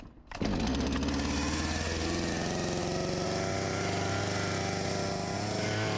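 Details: Husqvarna 254 G chainsaw, after carb refurbished and fuel line replaced, just after start: settles into a steady, even buzz at fast idle; runs clean, idle a touch high, near clutch engagement.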